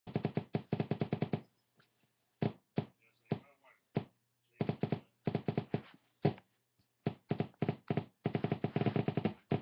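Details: Guitar amp half-stack, head on cabinet with nothing plugged into the input: sharp pops in quick bursts of several per second separated by silent gaps; cause of the popping unknown.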